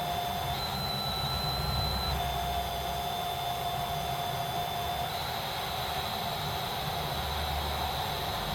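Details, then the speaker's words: Amstrad CPC 464 cassette unit loading tape: data tones over hiss run a little slow and at a variable rate; something slipping, suspected idler wheel, rubber pinch roller and idler parts implicated. "So it's loading, and you can hear it, but it's a little bit slow. And in fact, it's kind of variable rate."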